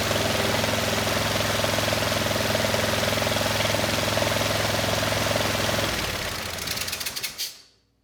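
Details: Kohler SV730S-0011 V-twin on a Bobcat zero-turn mower (Ransomes 942205): steady, even drone with blades engaged via the electric PTO on a severely cracked belt, no slipping or squeal, then winds down and stops; sounds healthy.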